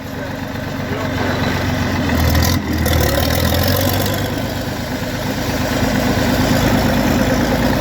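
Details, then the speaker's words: Farmall 560 tractor being reassembled, running through a 5-inch straight pipe: deep, loud, even exhaust bark at about four beats per second; it runs smoothly, just very loud, like a pulling tractor. "Saying sounds like a pulling tractor. I forgot the straight pipe on there. 5-inch straight pipe."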